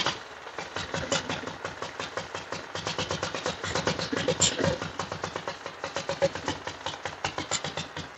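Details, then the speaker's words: 1940s Whizzer motor bike after long storage, test start with choke off and leaking slightly: crisp even firing pulses settling into a steady idle with no misses; runs healthy. "this no canceling mic probably shuts off the good noise it's fired right up let me get rid of this"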